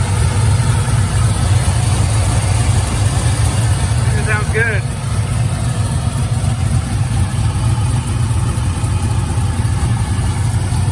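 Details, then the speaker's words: 35th anniversary SS, cammed, full exhaust, 3200-stall converter, new spark plugs, cold start without touching the throttle: deep steady V8 burble at a slightly raised cold idle, firing evenly, no misses or knocks; idling good while it learns. "That cold start though. This is the first time I've been able to start this car without me being inside and giving it gas."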